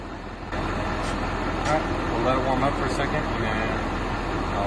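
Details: 2012 Ford F-250 6.7 Powerstroke diesel after upgraded charge pipe install and boot redo: steady clatter at idle, rising evenly on a light rev, no hiss or whistle from the intake; previous leak was loud, now sealed and healthy.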